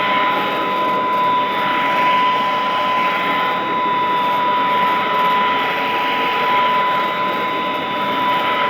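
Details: Vintage all-metal Royal Model 153 vacuum, owned 22 years, 3-amp bushing-style motor with belt tension kept light; smooth, even quiet hum with steady high whine, no knocks or surging; normal running.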